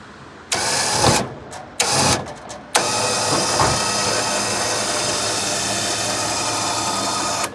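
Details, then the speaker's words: Liftgator XTR liftgate: motor starts in short bursts then runs with a harsh grinding rasp from the side, caused by a cable riding off its pulley. "What's that noise? Oh, something grinding in the side."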